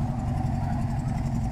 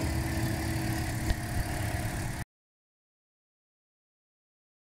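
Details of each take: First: 2012 Toyota Corolla idling rough with an uneven low exhaust chug and dropped pulses, a dead misfire suspected on cylinder four with no codes stored; exhaust smells of heavy fuel, like rotten eggs, from excess fuel. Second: 2012 Toyota Corolla after P0300 misfire fix (new coil on cylinder three, spark plugs torqued to 15 ft-lb), heard at the exhaust at the rear: steady, low, even idle with no skips, no vibration, no misfire.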